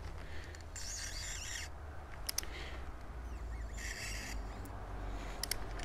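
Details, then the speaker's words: Honda Accord Tourer (7th gen), spark plug being removed with cold engine using light force; two drawn-out high metallic squeaks as plug turns, thread dragging in the head; owner fears damaged thread, cause suspected, not confirmed. "Nie, nie podoba mi się wcale jak to idzie. Jest taki dźwięk, jakbym metal ciągnął."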